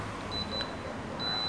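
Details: Daikin R32 air conditioner remote cycling error codes to check stored faults on a unit that sometimes won't run: a few short high beeps, then one long steady beep when the remote reaches U2, confirming that stored error code.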